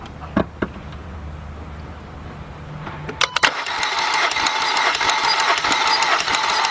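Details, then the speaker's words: VW/Audi 2.0 engine after rear timing chain replacement, compression test on cylinder one; starter cranks with steady, even chuffing and no stumble, gauge reads 180, healthy compression. "let's hook this up here's our gauge and let me Crank It Up"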